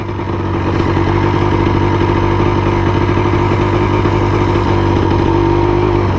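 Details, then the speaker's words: 1999 Yamaha Blaster two-stroke quad being ridden and accelerating hard on 32:1 premix, after mouse debris was cleaned from the airbox, reeds and engine. A continuous loud buzz holds steady under load with no misses or knocks; it shifts perfectly and pulls strongly, a normal healthy engine. "yeah she ships like a dream it accelerates like somebody kicks there in the tail"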